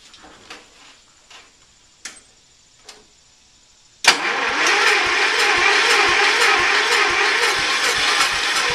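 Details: Early-80s Ford LGT120 with a Kohler K301 12hp single, fitted with a new piston; weak battery. Several slow cranks with long gaps fail, then it fires and settles into a steady putter. Hard start warm or cold; owner suspects valves.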